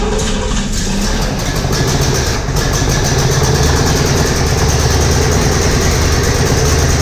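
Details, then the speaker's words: 1963 Corvette Split Window V8, first start since 1981: lumpy, stumbling idle with an uneven exhaust beat and no crisp rhythm; ignition timing is way out and late, carburetor mixture still unadjusted. "finally got another long so now that we got it running the big problem is getting it timed right because it's way out"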